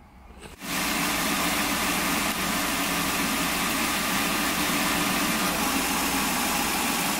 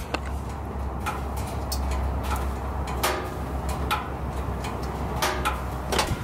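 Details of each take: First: Wheelchair-lift van with drop floors, engine idling after ignition misfire repair, codes cleared, data stream checked: even steady idle, constant hiss over soft hum, no stumbles or misfires; normal idle. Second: Van with an ignition coil misfire, engine off after running with a dead cylinder: irregular sharp metallic ticks every second or so over a quiet hum from underneath; overheated catalytic converter contracting as it cools.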